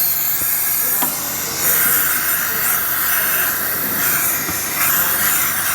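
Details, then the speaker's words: Tsunami Pure 5 regenerative desiccant air dryer on shop air, muffler removed during manual cycling; loud steady rushing hiss at discharge, louder than normal; inlet air leaking past a failed piston O-ring not blocking air in regeneration. "went the muffler off it gets quite loud and you'll notice that where there was one piston o-ring on our Pier 10 series The Pier 5 is a little more audible"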